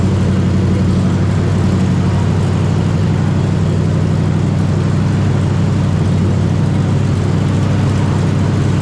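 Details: 454 big-block V8 in a Honda Civic, first start on temporary systems with a new out-of-the-box carburetor, timing about 10° top dead center, no coolant, cold out: deep loud steady V8 rumble, even beat, no knocks or misses, healthy cold running.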